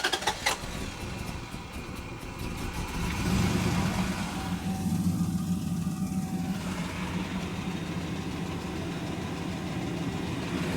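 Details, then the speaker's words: Dodge Durango, engine very dirty, oil pump and bottom end believed good, pickup tube suspected clogged: engine catches into an uneven, lumpy idle with rough mechanical clatter; engine damage and timing off suspected. "but yeah it's got engine damage though you can hear it yeah and I think the timing yeah you it just tiny and off it"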